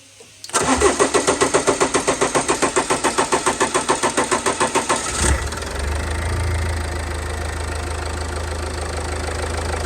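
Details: Range Rover Evoque after fuel filter change, airlock cleared by disconnecting the high-pressure pump feed connector and pressurising the tank until fuel arrives: about four seconds of even cranking at roughly 3.5 beats per second, then it catches and settles into a smooth, steady idle.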